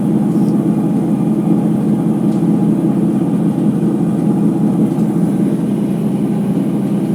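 Loud, steady droning rumble holding at high drum speed with no letup; it sounds like worn drum bearings. Cause suspected, not confirmed.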